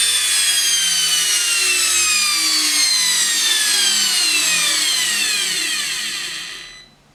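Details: Samsung washing machine motor bench-tested via jumper wires, Hall sensor already checked: high clean whine falling steadily in pitch as the motor coasts down; worn or failed brushes suspected but not clearly audible.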